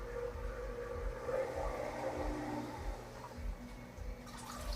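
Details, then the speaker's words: AquaClear filter starting up on a 75-gallon green jade shrimp tank during a remodel. Steady splashing and trickling over a soft gurgle with no dry hum, as it primes, run to stir up loose debris. "I'm hoping this aqua clear filter, when it gets to going, I'm hoping it'll stir up, make enough current that everything will get stirred up and sucked up to the sponges."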